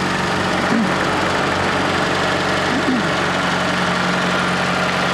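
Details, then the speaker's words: Fiat Panda 4x4 small petrol engine at idle after oil leak repair and belt work: steady, even idle with a smooth low hum, no knocks, rattles or misses; earlier rattles gone once oil filled, timing seems right. "sounds okay sounds like it got the timing right anyway"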